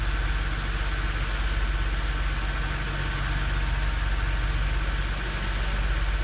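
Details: BMW Z4 3.0si straight-six at cold idle: loud, fairly quick knock over the low engine drone, disappears after 15 minutes of driving; source unknown; engine knock at idle.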